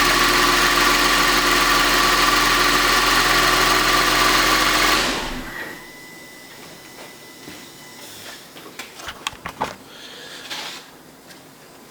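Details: Audi A8 3.2 FSI after intake carbon cleaning and manifold refit: smooth, even idle about three and a half beats per second for five seconds, then shutdown; no misfire stumble.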